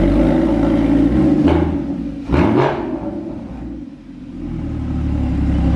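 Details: Rebuilt crashed Porsche Cayman GT4 flat-six with Immico exhaust, first start after rebuild, engine cold: fires, flares up, dips briefly, then settles to an even deep idle with clean exhaust note, no ticking.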